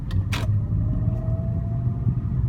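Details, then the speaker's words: 2001 BMW E39 525i inline six, about 163,944 miles, after a dead battery: low even rumble with smooth steady idle and no ticks or knocks; runs like a BMW should, healthy. "so it does run like a BMW should very smooth uh inline six"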